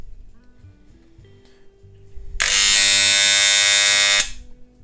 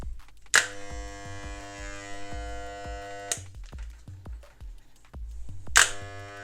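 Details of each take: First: Moser 1400 hair clipper with its tension adjuster screw over-tightened: loud, harsh metallic buzz as the armature slaps the coil. Fix is to back the adjuster off to the minimum position where it runs without overtones. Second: Moser 1400 hair clipper just after its blades were cleaned, oiled and reassembled: two short runs of an even, steady buzz with no rattle or labouring. It sounds smooth and healthy over quiet background music.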